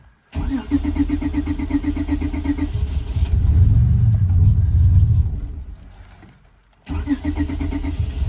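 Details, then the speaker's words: Supercharged J-swap Honda Civic EK cold start after rain, with wet starter, transmission and drive pulleys; cranks, catches quickly, revs and settles slightly rough from cold-start tuning, no misses or bad noises: normal cold start. "That's more related to my cold start tuning than it is anything else. I don't hear any bad noises. Does not seem like it has a miss, so I think we're a go today."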